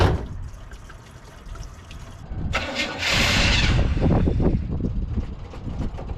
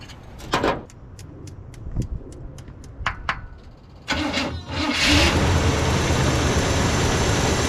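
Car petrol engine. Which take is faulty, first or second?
first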